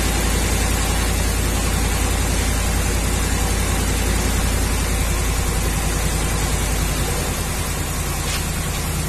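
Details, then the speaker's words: 2011 Ram 1500 5.7 Hemi on cold start, P0305, flashing check-engine light: deep, lumpy idle, about three to four uneven pulses a second, cylinder 5 misfire; traced to worn number 5 intake cam lobe. "now I noticed that this thing seems to misfire on a cool start cold start and as you just saw"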